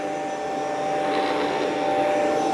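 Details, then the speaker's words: Rainbow PN12 power nozzle, 1.2 A, refurbished with a new belt; steady, even high whir at constant pitch with no rattle or slipping as the brush roll spins up, much faster than before. Normal running. "Okay, that seems pretty good [Music] speedwise. Yeah, a lot better."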